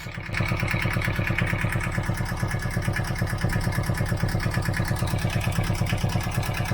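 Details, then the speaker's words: Boat diesel, first start in years on roughly 10-year-old, biodiesel-smelling fuel: even, steady chug with regular beat, no knocks or misses; no leaks, temperature coming up, oil pressure present, healthy idle just after starting. "Temperature's coming up. Got oil pressure."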